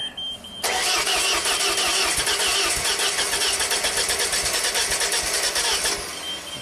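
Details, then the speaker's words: Ford-powered JLG boom lift, sat two years after a tree fell on it: steady rhythmic cranking about three strokes per second, never catching despite fuel pressure and injector pulse; electronic throttle suspected of not opening enough. "So it seems like it wants to start, and we have injector pulse, which is fantastic."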